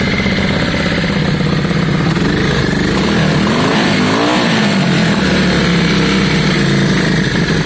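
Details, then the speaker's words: Yamaha Virago V-twin revved after carb clean and new spark plugs: deep, even twin beat climbing and dropping cleanly with throttle, no misfires or popping; running great and smooth, normal revving. "but it is running great it's revving well it sounds great it's smooth"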